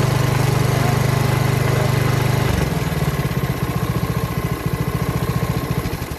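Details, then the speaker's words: Honda HRX217HYA walk-behind mower, under a year old and under 5 hours' use, after a starting issue, starting on one pull: catches and settles into a steady, even putter with no misses or knocks; sounds good. "Sounds pretty good."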